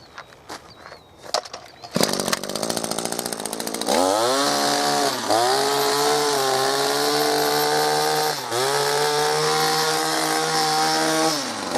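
A few pulls, then it catches and holds a steady high buzz with crisp throttle blips and clean return; running fine.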